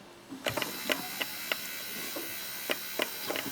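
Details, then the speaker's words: Vintage Pioneer hi-fi motorised volume knob after cleaning and repair, sweeping full range: faint motor hum with irregular light clicks and ticks several per second; slightly notchy worm gear drive, judged acceptable. "we have success the mold is a little bit notchy but I'm not gonna be too worried about that"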